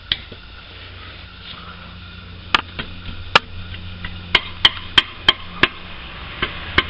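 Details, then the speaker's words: 1.8 K-series Land Rover Freelander: sharp metallic clanks as the exhaust front pipe is knocked by hand, replicating the driving rattle; the front pipe's small triangular support bracket had snapped and the pipe wasn't bolted properly. "See, the more I hit it, you can actually replicate the noise."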